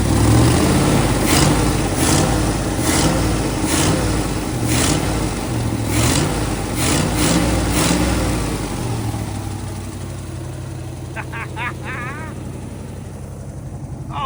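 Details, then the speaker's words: 1966 Chevrolet truck not run since 1996, first run after parts sanded and lubed: deep V8 rumble with a few quick revs rising and falling cleanly, then steadier idle, lots of smoke, no obvious knock; runs decently. "my god, this is awesome. The dang thing sounds pretty decent. A lot of smoke. Well, we got it running."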